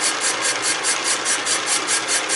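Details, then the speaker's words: M38 "Go Devil" engine cylinder being bored, first of three passes at about 0.005 in per cut. A hissing cut pulses roughly five times a second, biting once per turn; the cylinder is out of round and the cutter only touches one side. "can hear how our around the cylinder is because it's just taking off on one side of the pillar"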